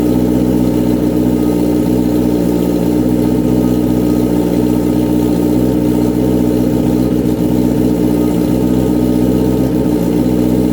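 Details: Honda CBR929RR SC44 turbo build running for the first time at tick-over, fuel map set up by the owner, not yet dyno-tuned: a steady, even, smooth low drone with no knocks, misses or hunting. Normal idle.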